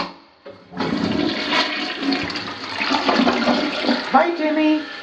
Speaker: we've got lots of blue tape but everything is supposed to go down goes down